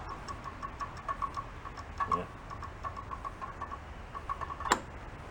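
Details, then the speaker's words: Free old Craftsman riding mower, choke working. Quick light ticking clicks with no cranking or firing; the starter clicks but won't turn the engine. Owner suspects a bad or seized starter and tries jumpering it directly. "there's another way to fix that there is and the fix is to go to the other side to jumper pecker right on the starter I don't think that starter is any good"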